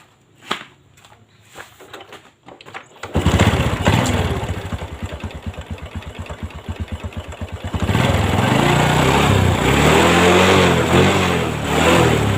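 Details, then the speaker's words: Honda Revo Fit after replacing the loose cam chain (which had broken the engine block) and repairing the block: small single starts after a few cranks, settles to steady even putter, no knocking or chain rattle; normal idle. "Oke Lur ini udah halus lagi ya"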